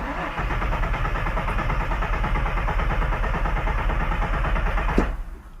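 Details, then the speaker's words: 2001 Ford F-150 4.2L with fuel trim imbalance (bank 1 −15% rich, bank 2 +10% lean, new cats): cranking test in clear-flood mode at about three beats a second, even with no lazy stroke. Compression sounds balanced; no misfire detected. "Sounds pretty even, doesn't it?"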